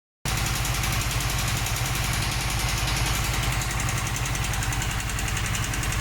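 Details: Five-month-old Harley-Davidson Sportster S V-twin after idling a while: loud lumpy idle beat with a light, fast ticking or knocking on top; cause unknown.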